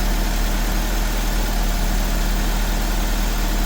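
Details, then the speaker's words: 1984-89 Toyota Van Wagon engine after fuel pump work, first run on ethanol-free fuel: low, steady idle rumble with an even beat, no stumbles or misfires; original pump kept as it works. Normal idle. "i'm gonna keep that fuel pump in there i was gonna order a new one but since that fuel pump is working that sounds like it's running correctly"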